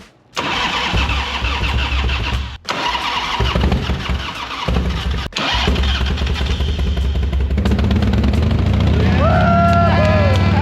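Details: 1991 Harley-Davidson FXRT after sitting nine years, new battery, choke on, in neutral: cranks briefly then catches and settles into lumpy, even V-twin idle; healthy start after storage.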